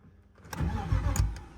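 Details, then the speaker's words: BMW E36, cranking after bypassing the neutral safety switch and EWS, fuel level low or gauge faulty: the starter whirs the engine in a short, low burst of uneven thumps but it never runs; owner suspects the fuel pump sends no fuel. "We are going to swap the fuel pump on this side over tomorrow because I believe that it's not sending any fuel."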